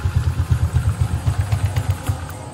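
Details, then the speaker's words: Honda Vario 150 scooter after rebuild of a broken cylinder head with custom 59 mm piston, cam chain not replaced; even low idle thump without clatter; mechanic notes chain noise may appear when hot; normal idle. "Nah udah dengar suara tadi alhamdulillahnya ini alus guys jadi aman"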